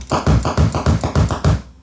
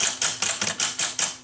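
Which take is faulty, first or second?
first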